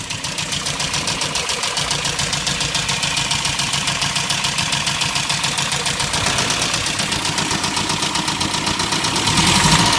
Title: Mini Rod Knock